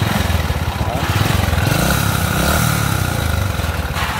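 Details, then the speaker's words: Honda Wave RS100 motorcycle at idle (it won't start on the electric starter): a steady small-engine idle with a dull, regular knock deep in the bottom end on every turn. Connecting rod/crankshaft knock; engine needs a rebuild. "Đúng vậy, tiếng gõ trục khuỷu."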